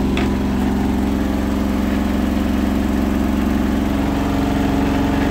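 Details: Hotpoint washing machine final spin ramping to 1400rpm after a rolling bath sheet fooled the balancing and was thrown to one side: loud steady drone with heavy rhythmic thump about three times a second, badly unbalanced.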